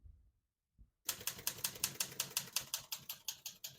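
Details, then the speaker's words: 1973 Olivetti Lettera 32 portable typewriter, single line spacing: crisp, even keystrokes about three per second, each a clean sharp clack; all keys type nicely with none skipping or sticking. "As you can see, all the keys type nice and none of them skip or stick."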